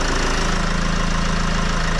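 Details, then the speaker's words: Mercedes Vito W639 diesel at idle after the clattering AC compressor pulley was replaced with a damped pulley: steady, low, even thrum, rattle gone, a new hum noticed, likely normal idle. "Klingt gut. Geil, Mann. Das Klappern ist weg."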